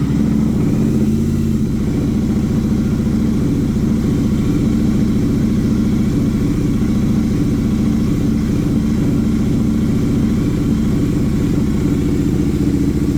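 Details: Motorcycle started after replacing and resoldering a faulty kickstand switch, with the check engine light being cleared by scanner; starts cleanly and settles into a steady even low putter with no misses or knocks, a normal idle.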